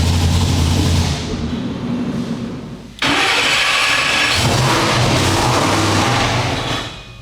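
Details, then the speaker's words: Supercharged dyno engine, after a blower change and earlier manifold blowup: revs in flat, lazy pulls that die off sounding weak and hollow; ignition timing retarded because the timing trigger wheel was displaced. "So what's going on is this thing is just a total turd, total piece of crud, and it's like, what the heck is going on? It sounds like it doesn't have any, it sounds terrible."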